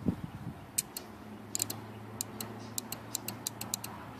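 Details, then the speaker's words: 1991 Honda Accord A/C relay bench-tested during a no-cold-air diagnosis: negative lead on terminal 1, positive battery lead applied, sharp crisp isolated clicks over a quiet hum with no buzzing or chatter; relay switches cleanly, normal. "okay it's working but sometimes a click is not enough"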